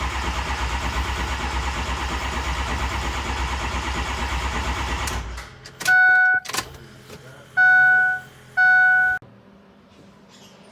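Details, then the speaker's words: 6.0 diesel truck, cold, sat a couple days, new IPR installed: starter churns about five seconds without catching, then scanner beeps; no start, ICP only about five psi, no base oil pressure. "right guys so put the new ipr in truck still don't start um no base oil pressure"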